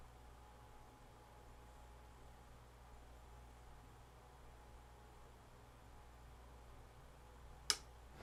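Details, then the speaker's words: Time delay relay on an old church bell-ringing circuit board, trigger voltage applied: near silence, then one sharp click as it drops out at just over 20 seconds, matching the roughly 20 s on / 50 s off specification; relay switching properly. "Okay, trigger is uh activated or voltage has been applied to it. And it clicked off at just over 20 seconds."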